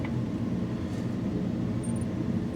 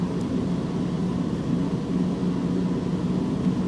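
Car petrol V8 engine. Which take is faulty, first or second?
first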